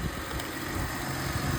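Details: 2006 Mercedes SLK280 V6 idling after a crank-no-start fault was fixed by cleaning the ECU; a low, steady, even hum with no misses or knocks, idling smoothly.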